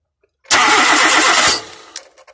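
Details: 2001 Nissan Almera: about a second of steady starter cranking, then it stops without catching. Cranks but won't start; the coil pack has power, and a fuel pump relay or fuel supply problem is suspected.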